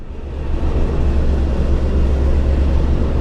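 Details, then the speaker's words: Douglas DC-6B radial engine just after start, cold day, annual-inspection ground run: primer released and mixture brought in after checking oil pressure, now running on the carburettor. Deep, steady low rumble with no misses; normal idle. "We check first the oil pressure, all parameters, and then we bring the mixture in, and then we let the primer go. Now the engine is running on the carb."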